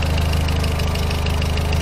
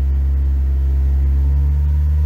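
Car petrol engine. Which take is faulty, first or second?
first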